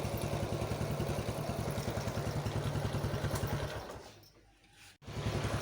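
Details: Yamaha X1 110 carburetted motorcycle, after cylinder boring and new rings (one-way clutch found broken): at idle the note sags and a sharp clunk comes from the clutch housing when the gear is pressed.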